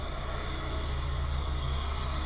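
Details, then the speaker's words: Mitsubishi Shogun Pinin 2.0 GDI 4G94 four-cylinder, idling in gear (reverse) after fuel system work for P0190: deep, slow, steady rumble that sounds close to stalling but holds about 590–600 RPM against the ECU's 600 RPM target; normal low idle. "The idle speed on this car is super distracting. It's okay, but it sounds like almost stalling."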